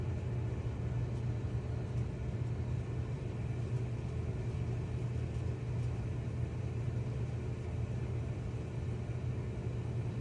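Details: Whirlpool/Maytag dryer after new belt and drum rollers installed, previously squealing/grinding; steady low even rumble, stronger and smooth, no grinding, scraping or thumping; drum turns healthily.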